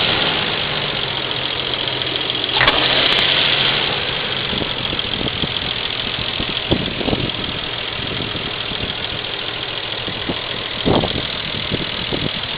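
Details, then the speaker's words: 1998 Nissan Skyline R34 2L at idle: uneven pulses and irregular stumbles in the exhaust note, and at lights the idle drops to about 300 rpm; a rough idle that the owner suspects is a misfire. "pretty much it just rocks around I'm not gonna hate every time I'm driving it every time I'm sitting a light it drops below the rev limit drops below about 300 sometimes"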